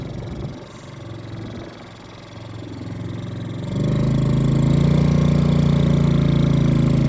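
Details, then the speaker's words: Old family four-wheeler revived after sitting for years, needing only fuel: quiet putter, then the engine picks up to a steady, even drone with clean revs while driving; shifting well, brakes barely work. "But all it needed was gas. Bro, I can't believe it."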